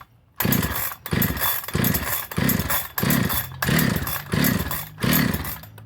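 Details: Husqvarna 365 SP chainsaw, rebuilt with new piston, rings, cylinder, muffler, carburetor, coil, plug and wire, good spark, about 160 psi compression, started on choke: each pull gives a short sputter but never runs on; owner suspects timing.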